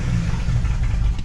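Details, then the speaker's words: BMW 335i N54, full bolt-on, head replaced and engine reassembled by a machine shop. Engine cuts out right at 2000 rpm as if there's no throttle, then goes into a dying mode, deep uneven rumble surging and struggling. Cam timing is incorrect because the two camshaft sprockets were fitted incorrectly. "see right at 2000 it just shuts off um like there's no throttle and then it kind of goes into this like dying mode where it's struggling to stay on"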